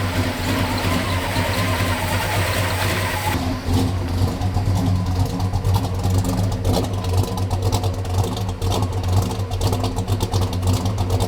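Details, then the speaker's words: 1969 Dodge Charger V8 that sat 34 years, post cam swap, likely still on break-in oil, timing never dialed in, carburetor acting weird: uneven, lumpy note that stumbles and surges as it revs and won't settle; owner says it runs bad, cause unconfirmed. "something's weird with the carburetor uh I never really dialed in the timing whenever I got it running after to break in the C"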